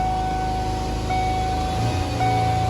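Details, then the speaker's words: 1994 Ford Ranger in neutral with no throttle holds a steady high drone at 3,000–3,500 rpm and won't come down. Cause: a faulty idle air control module that overheated and melted its wire. "It doesn't really come down if you do it. It stays about 3,000, 3,500."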